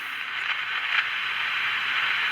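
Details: Magnavox AM-80 radio: steady hiss with an occasional faint voice, no station breaking through, transistor not getting warm. Radio static, no stations; it does not work.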